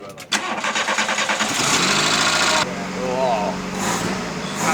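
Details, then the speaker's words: VW Caddy first start after an engine revamp, restoration in progress, with the throttle still needing adjustment. It cranks briefly, catches first turn and settles into a steady, even run with no knocks or misses: normal engine start. "Listen to that! It's perfect! Oh, come on. First turn."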